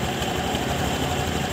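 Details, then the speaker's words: Honda Scoopy (2021 per title) scooter idling before the CVT was serviced: a dry, uneven rattling clatter from the CVT case over a steady beat, which the owner wanted fixed; attributed to worn variator rollers, not the clutch. "Hai permintaan dari pemiliknya fambel dan ulirnya diganti karena suara kasar dari bak CVT seperti ini dan coba kita hidupkan dan kita dengarkan Apakah fabel atau lernyataan yang bunyi atau dari rumah rollernya"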